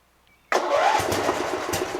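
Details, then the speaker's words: Toro Wheel Horse Recycler 56132 riding mower, Briggs 8 hp, after new battery and carburetor replacement, oil and gas added, on choke: short crank, catches immediately, strong even run with no misfires; normal start. "Ooh, ooh, ooh, ooh. Sounds great!"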